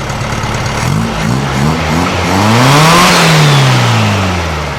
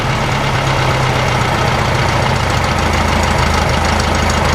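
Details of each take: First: Open-pipe flat-four of a 1956 VW Beetle with a 009 distributor, after rewiring, a fixed spark plug cap and retiming, gives loose, uneven blips that stumble before revs climb; it revs fine choked, so the mixture is still too lean. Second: 1956 VW Beetle air-cooled flat-four after re-timing the distributor and fixing a bad spark plug cap: low, steady, even idle with no hunting, showing no vacuum leak, though still running lean and not revving properly.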